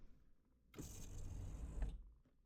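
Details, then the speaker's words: Porsche 944 sunroof motor working after being knocked free: short, steady electric whir of about a second that stops cleanly; sunroof operates normally. "Well, I think you knocked whatever it was, you knocked it free."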